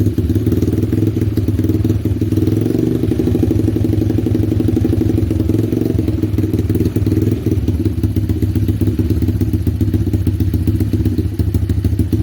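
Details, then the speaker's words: 125cc X-Pro pit bike after swapping in a clone Mikuni VM22 26mm carburetor and setting the idle screw: quick, even single-cylinder thumping holds a steady idle without hunting; it started easily and idles right. "now that's a good sound right there that's what you want to hear that you don't want to hear it you don't want to hear too low right there is where you want to idle"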